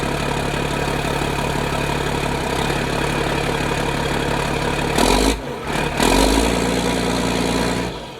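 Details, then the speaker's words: Diesel engine started after cab was jacked and reassembled: steady, even low idle with a smooth beat, no knocks or misses; normal idle, seems good. "I think we're good."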